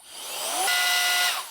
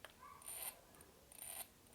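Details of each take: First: Alffaa Violent Turbo Fan electronic air duster on maximum speed, measured 45 mph airflow: high electric whine climbs quickly, holds clean steady pitch about half a second, winds down smoothly; normal operation. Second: Alffaa Violent Turbo Fan electronic air duster (45 mph, 3 speeds), switched to gear 2: two faint brief buzzes, then motor spins up with rising whine; startup software jump-starts motor, fails, retries, and runs.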